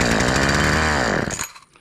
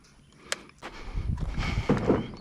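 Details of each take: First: Homelite chainsaw that had sat unused about four years, dirty: with a shot of starting fluid it bursts into a rough buzzing run for about a second, then dies; carburetor fuel delivery fault suspected, carburetor later replaced. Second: Homelite chainsaw that sat for years and wasn't firing, after carburetor and fuel lines replaced and tune-up, test run cutting a pallet. Fires and holds a strong, steady high buzz with no stumbling; normal running.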